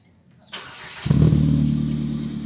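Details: Ford Fiesta Mk7 with Borla exhaust after exhaust leak fixed using a silicone gasket: starter catches within half a second, settling into an even low idle with no puffing or ticking at the exhaust joint.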